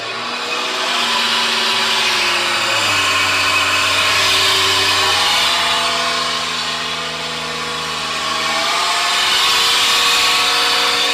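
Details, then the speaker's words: BMW 740 (G series), 76,000 km, on a lift with wheels driven: loud droning howl, plane-like, rising with speed; rear differential worn, oil full of metal glitter; differential removed for repair. "它这个声音啊，速度越快越响。"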